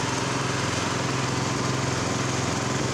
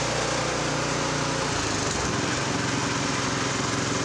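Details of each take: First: Brand-new replacement engine on a Honda F501 tiller, first start on one pull: fast, even single-cylinder putter idling at about 2100 rpm, a bit high, with slight lean popping in the exhaust noted; high idle speed. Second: Honda F501 tiller with new offshore GX clone replacement engine, no load, after opening the carburetor pilot jet to cure lean surge; even steady governed run at 3600 rpm, no hunting.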